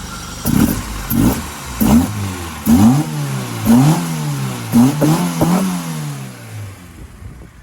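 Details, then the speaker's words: Ford Mk2 Escort 2.0L Pinto on twin 45 carburetors, just bought: revs surge roughly once a second, hanging then jumping and dropping unevenly, funky noises; throttle linkage sticks then releases when pulled and needs sorting. "It's making some funky noises, and the throttle linkage needs sorting. And when you try and pull the throttle, it like sticks and then goes."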